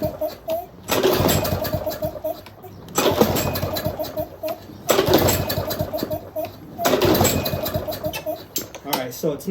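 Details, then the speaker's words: Used Craftsman lawnmower model 247.371240, reported to start then die, on its first pull-start test. Four pull-cord cranks about two seconds apart turn it over but it never catches; a clogged carburetor is suspected. "starting so i'm gonna take off the air filter get into the carburetor shoot it with some carb cleaner possibly hit it with the you know some air try to blow some of those blockages um that are sitting in that carburetor out of the way"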